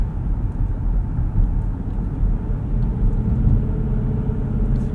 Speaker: really smooth op option setting off with this ecvt you can hear just kind of a faint growl from that 2.5 L hybrid